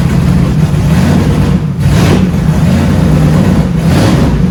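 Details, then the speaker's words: 1971 Dodge Charger Super Bee 383 Magnum, cold, after a valley pan change for a suspected intake leak: deep V8 burble with uneven, lumpy firing between throttle blips. Rough running; owner suspects the timing is out again, not confirmed. "Oh man, I just don't know. Sounds like she's out of time again."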